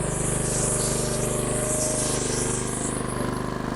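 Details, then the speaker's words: Log splitter small engine after carburetor cleaned again with carb cleaner and compressed air, throttle cable reconnected: quick, even popping exhaust beat steady at raised throttle, no misses or surging; normal running. "put it back together pull it and it crank and the autle I was able to turn it up I'm hoping"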